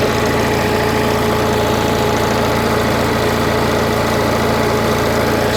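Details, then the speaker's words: Onan 4 kW carbureted gasoline motorhome generator after maintenance: a smooth, even drone at steady rpm with no fluctuations; normal idle. "you can hear hopefully that's a steady sound steady rpm no rpm fluctuations"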